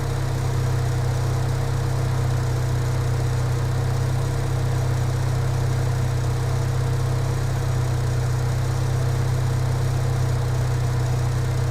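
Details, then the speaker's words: Engine after throttle body check and cleaning: steady, smooth low idle with an even pulse and no hunting, miss or surging; idle now sounds good. "The idle sounds good to me now. I should have done it before I cleaned it."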